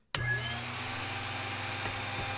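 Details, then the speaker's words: Small OTMT drill bit sharpener at the point-splitting station: the motor spins up at once to a steady hum with a constant gritty hiss as the collet holder is turned each way; the wheel is cutting normally. "drill, you hear that grinding, just keep on turning, turn the collet holder all the way in each direction until it stops, once you hear that the grinding stopped, then turn it around, do it again, and we are finished."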